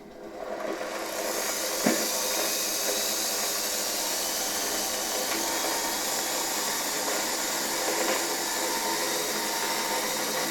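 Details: 1981 Rakieta 7M2 vacuum MD-010 motor, rerun on reduced voltage through a regulator after the brushes were refitted and no short found: it spins up within a second to a steady high whine with smooth airflow rush. No grinding; the bearings sound healthy.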